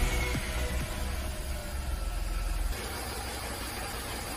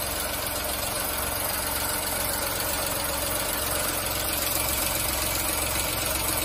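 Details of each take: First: VW Fox 1.2 L 6V three-cylinder (BMD) with code P0302: lumpy, jerking idle with irregular low thumps as cylinder 2 misfires; coil, plug and injector swaps didn't move it, cylinder 2 had 5 bar compression from a burned exhaust valve. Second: VW Fox 1.2 L 6V three-cylinder (BMD), after repair of a cylinder 2 misfire from a burned exhaust valve: steady, even idle with no stumble or missing beat throughout.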